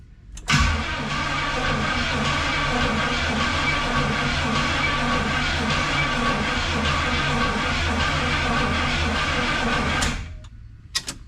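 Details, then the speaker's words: 1976 Pontiac Firebird Esprit 350 V8 first start attempt after reseal, months unused, fresh 10W30 oil, quarter tank fuel, 12 V: starter clinks in, then steady even cranking drone about nine seconds, no scraping or knocking; turns over freely. "Okay, that's good. Everything's turning over. I don't hear any weird noises. That's positive."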